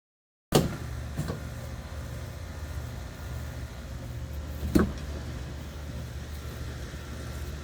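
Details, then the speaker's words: Generac Synergy 20kW VSCF generator with alarm code 1055, engine not coming up to speed: it starts and runs roughly, with three sharp pops of intake backfire, suspected to come from valves out of adjustment. "Okay, if you heard that, there's some backfiring in the intake, which means that your valves are out of adjustment."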